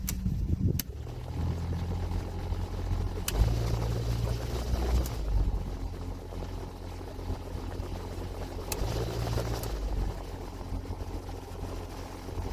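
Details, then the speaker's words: Vibration and noise from the dashboard with the HVAC blower on: low droning hum with uneven rumbling throb; suspected out-of-balance blower motor, typically from trash sucked in via the fresh air inlet behind the glove box, not confirmed. "now it's been my experience that this sensation slash noise is caused by one thing and that's an out of balance blower motor"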